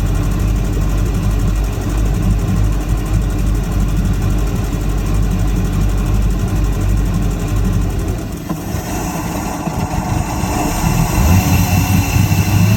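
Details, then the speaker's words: 2005 Malibu boat, Indmar Monsoon 340 small-block Chevy with MEFI-4 ECU. Base timing was set to 10° and the jumper removed. Idle held about 750 rpm, then sagged, stuttered and nearly stalled before surging back too high: a hunting idle, cause not yet confirmed. "I don't know what's going on because it's like it would idle down and then it would stutter and then it would almost stall and then it would recover and it would recover at like a extremely high."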